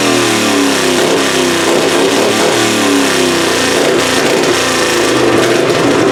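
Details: Plan B pulling engine on methanol, first fire-up of the season after a new annealed head gasket and timing adjustment: a loud, raw roar revving up and down, crisp with no knocks or misfires. The head gasket seems sealed; the carb still needs tweaking.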